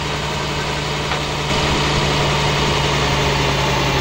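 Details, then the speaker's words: Caterpillar 3126 industrial HEUI diesel hunting after 1–2 hours of running: a steady drone whose speed and loudness swing up and down; the low-pressure fuel system is discussed as the area to check. "it's immediately hunting, friends, yes, hunting, that's his voice. swinging like a sinjal"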